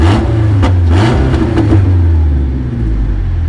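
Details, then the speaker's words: Twin-turbo GT350 V8 race car revving: thin, buzzy sound like a four-cylinder Honda with a raspy edge on each rev; owner suspects overheated exhaust manifolds and wastegate issue, likely manifold leak. "I didn't know if you knew why my race car sounds like a Honda."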